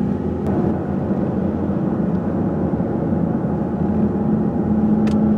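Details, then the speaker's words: 2012 Chevrolet Malibu driven through town, brought in for brake grinding: low droning growl under road noise with some grinding and thumping, from a bad front wheel bearing; choppy tires also suspected. "Oh, I don't hear grinding, but I hear a bad wheel bearing. Oh yeah, there's some grinding action too. Some thumpity thump."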